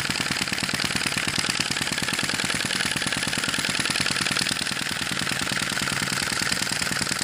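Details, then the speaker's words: Sai Hu V1-45 flame-licker vacuum engine, hot and up to temperature after refueling and relighting: fast, even stream of light ticks at a constant pace, no misses; normal running. "once you get it up to temperature and get it running it runs consistently it runs well"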